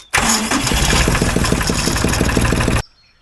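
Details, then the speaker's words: Ford 1520 compact tractor diesel after valve clearance adjustment, cold start around 50°F at 5 a.m. with glow plugs, no charger: brief crank, then catches at once and settles into an even clatter at idle; clean cold start. "that is uh that's exactly how it should start at 5: in the morning that's perfect it's like 50° outside one set of globe plugs fired right up no more of this crazy cranking"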